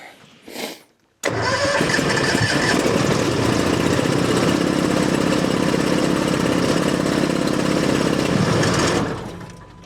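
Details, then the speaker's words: Old gas, fuel-injected skid steer (no choke) with a brand-new engine, cold February start: steady fast cranking for several seconds. Hard cold starting with long cranking, cause unknown. "it doesn't like the cold the same as which I don't know why it's gas normally they start with no problem but sometimes stranger things happen"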